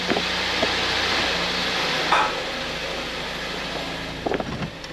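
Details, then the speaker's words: 2013 Ford Escape on a lift, customer complains of loud popping when shifting; idling, shifting between gears: quiet idle broken by a dull thump then a short burst of clunks with visible engine movement; failed torque mount, to be replaced. "I'm watching a lot of movement over here so you're going to see what it looks like when a torque Mount goes out cuz I guarantee that's what it is"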